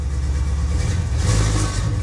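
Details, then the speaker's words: 1977 Chevy Monte Carlo, off the road for decades, distributor problem pending: deep, even V8 idle burble with no knocks or misses; sounds wrong once throttled, vacuum advance suspected. "but it's running it's running so that's good nothing nothing has changed"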